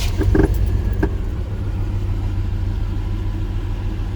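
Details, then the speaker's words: 1995 Chevy S10 ex-farm truck at startup during an oil change: a few sharp clatters in the first second as it fires, then a steady low idle; source of the startup noise unclear, service engine and ABS lights on. "That sounded What's that noise? Whatever."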